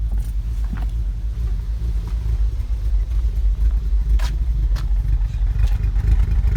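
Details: 2015 VW Golf R DSG, APR stage 2, cold or warm, in park or in drive on the brake: deep lumpy idle surging and dipping unevenly, near stalling, needle jumping; drives fine; new NGK plugs, coils, oil, cam adjuster magnets tried; cause unknown.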